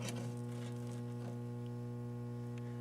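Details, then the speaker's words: 1964 Rowe AMI Tropicana jukebox tube stereo control amplifier, tested with a record playing and a signal injected from a small plug-in toy: steady low mains hum with nothing coming through on the left or right channel; serious faults in the amp and preamp. "and nothing on the right channel so got serious issues with the amp and the PRM"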